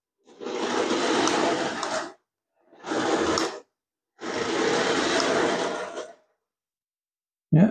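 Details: Nikko 9045 RC Teenage Mutant Ninja Turtle Party Van, a charity shop find, 2.4 GHz, tested after reassembly; it drives forwards and backwards but won't quite spin around. Three clean two-second bursts of motor whir with no grinding. Normal running.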